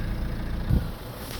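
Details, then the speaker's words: Citroën Berlingo / Peugeot Partner van heater blower after replacing the blower motor, which had been very loud on low settings: smooth, low, even hum with no rattle, squeal or scraping, much quieter; normal blower operation. "well it's all back in seems a lot quieter all the screws are in you can hear it running"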